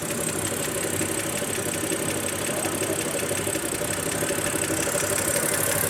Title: BMW E60 525i n52,adding oil!,ticking noise